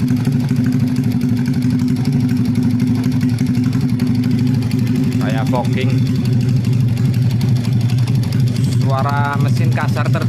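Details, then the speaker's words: Honda Vega R motorcycle in initial condition, smoking very heavily, runs with a loud, coarse, uneven rumble heard around the cylinder head area; rough engine noise, cause not yet known before teardown. "Oke cukup ya untuk kondisi awalnya seperti ini untuk berasap tebal banget Kemudian untuk suara kasar terdengar di are hit"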